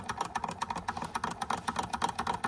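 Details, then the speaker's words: Restored George Carette 143 hot air (Stirling) engine on a wick flame, first test run after oiling and scraping off stiff grease, finned cool end: light even ticking about six per second; runs smoothly. "And it's got the fins to try and keep that part cool, which allow it to run longer. Because if this part warms up, it will stop running."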